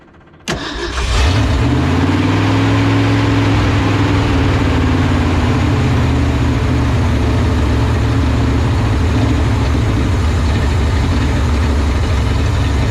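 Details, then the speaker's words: 1970 Ford F250 field find at first start, electric fuel pump on, timing unchecked: just after starting, the idle surges and wavers with uneven firing and drifting pitch. Rough running; owner suspects carburetion and a carb rebuild. "that is definitely carburation uh we haven't checked the timing we haven't checked anything but uh the engine sounds good it sure sounds like carburation"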